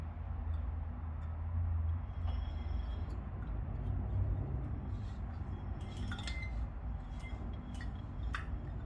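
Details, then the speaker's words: Bicycle wheel on a stand, spokes squeezed near the crossings: a few sharp metallic tinks over a low hum, indicating loose spokes that develop every couple hundred miles; fixed by tightening with a spoke wrench. "So now I'm going to show you, hopefully you can hear it, the kind of noise that you can expect when your spokes are a little bit loose."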